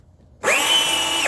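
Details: Replacement Peg Perego motor in a child's John Deere Gator ride-on, run on a 20V DeWalt battery, tested in high gear after the repair: a clean, steady high whine with no grinding or catching, so the new gear motor runs normally.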